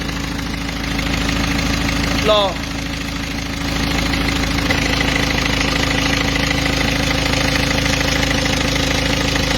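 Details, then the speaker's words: Peugeot 206 2.0 HDi 90 at idle after the overtightened timing belt was re-tensioned, covers still open: steady, even diesel idle with no whine, ticking or slapping from the belt area; normal idle. "voilà donc là on a plus de bruit tout est bon"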